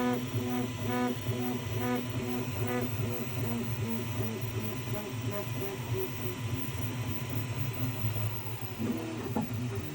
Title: Creality k1 max vibrating and squeaky noise on the X rod